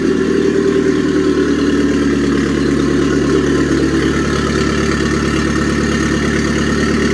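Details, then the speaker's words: Mitsubishi Airtrek Turbo R with replacement 85,000 km engine, running before the swap: smooth, even idle with steady low drone, good compression, no smoke, no knocks, ticks or misses; then revved, sounding healthy. "vibrations nice compression no smoke coming out let's rev it a little bit upm goes up and okay engine sounds"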